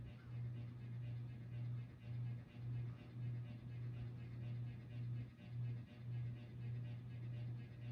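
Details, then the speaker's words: 48-inch Harbor Breeze Cobra Elite ceiling fan, about 20 years old, on low: low hum with steady buzz pulsing about twice a second; owner believes blades vibrate, fan also wobbles from blade design; cause unconfirmed. "It's a 48 in fan too. I don't know why, but it has really bad buzzing problems. So it just like vibrate constantly."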